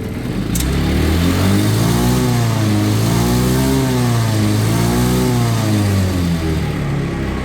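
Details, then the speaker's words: Auction-bought, previously non-running red go-kart with a bad fuel system, airbox refitted and coolant topped off, cooling fan working: a clean, even engine note through two smooth blips with no misses or rattles, revving normally. "So we got the airbox and everything back together. Give it a little rev here."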